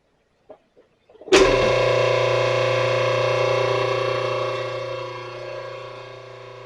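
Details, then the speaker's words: Ottoman electric air compressor: motor spins up to a steady even hum with no pump chugging and no air being made. "If you can hear that, it's running, but we're not making any air. And some of you already know what's wrong with this, but I'm going to take it apart and see what we got."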